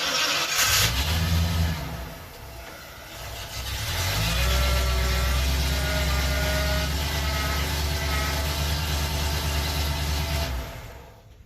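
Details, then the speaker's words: Older Ford shop truck after fixing a bird-like chirp in the steering column. Engine idling and revving while steering: the squeak is gone, leaving only a faint whine rising with revs, which is common power steering pump noise on these Fords. No column squeak, mild pump whine. "squeak's gone the little whine you heard is the power steering pump and that's pretty common with these Fords of this vintage and it still works fine it just makes little noise"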